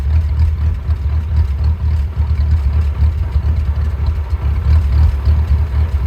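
Deep idle that pulses and stumbles unevenly, about four beats a second with no steady rhythm; the engine is idling rough.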